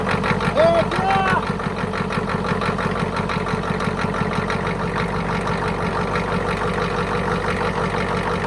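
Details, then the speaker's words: 1991 Ford F350 IDI diesel with new injector return lines, idling: each injector line is cracked in turn, and the steady clatter dips and bogs as that cylinder drops out, confirming it fires. It runs good after retightening. "so there you have it just track each line until it kind of bogs down and then poting them back up sounds good"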